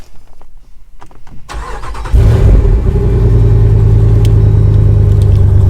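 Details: V8, after sitting nine to ten days in Amarillo at night temperatures in the 20s °F or lower, concern about battery in cold: short crank, catches at once, steady even idle; normal cold start.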